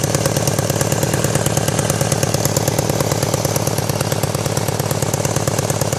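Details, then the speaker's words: 1999 BMW K1200RS motorcycle at idle: fast even puttering tick about three per second with light rattle; exhaust leak at a header joint causing noise and backfiring, rattle from #4 exhaust tube hitting the manifold port; fix is new studs and bolts. "so it doesn't take a rocket scientist figure out that's where the exhaust leak and the noise and the backfiring is coming from"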